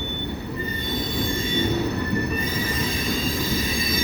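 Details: Several wheels give a high ringing squeal over the rolling rumble of passing cars on rails hot in 90°F-plus heat. Heat expansion tightens the gauge, so the car wheel flanges rub the railhead gauge face.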